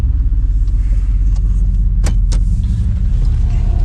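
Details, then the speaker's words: Grandpa's old truck, 241,000 miles, idling with rotted-out mufflers and tailpipe before the exhaust is replaced; uneven lumpy low throb, loose rumbling exhaust, "a little rough, a little joggy"; rough idle. "Yeah, she's rough."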